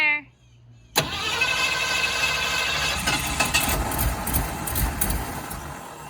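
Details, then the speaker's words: 1965 Ford Fairlane at first start attempt after a new gas tank and sending unit, second try after letting it unflood: the starter grinds with a ragged, uneven churn that nearly catches but won't settle. The engine is flooded. "all right take number two we let it get unflooded a little bit so let's see if it fires up"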